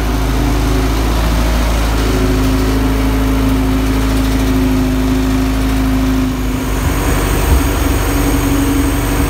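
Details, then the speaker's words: Engine in the Honda EG hatch project, from a flipped-over Integra and feared to have a spun bearing. Running after the oil pressure sensor swap: smooth, even note settling after a short rev rise, no knocks or ticks. It runs healthy; a head gasket leak is suspected. "so but I know now it runs good it runs healthy"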